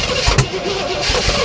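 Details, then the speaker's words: 1967 Oldsmobile Toronado after new plugs, wires and oil, fuel poured down the carb: cranking chugs into a few uneven bursts that catch briefly then fade; owner suspects mouse nests. Engine catches but won't keep running. "just cannot do it on its own 100 okay yeah it's probably a bunch of mice beds a dozen mice in there"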